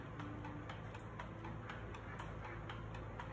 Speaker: everything to do with milking is based on vacuum and pulsators so that's turning the vacuum on and off and on and off you might be able to hear that ticking above me